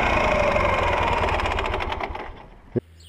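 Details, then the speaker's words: Dnepr motorcycle engine: sharp ringing metallic tick about four times a second, slowing and fading at shutdown, caused by the second cylinder's piston striking the crankcase, found at teardown despite no seizure or spun bearings. "Поршень касался, значит, бугеря. Так что, ребята, будьте повнимательней при обнаружениях таких звонов."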